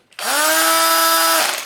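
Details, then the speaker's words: Makita HP331D 12V CXT combi hammer drill, motor damaged by overloading with enormous bits until it smoked, before motor swap: spins up to a harsh high whine with a rough rattly edge; damaged motor noise. "the noise there that this drill has had some problems, and I caused them. Basically, I overran it."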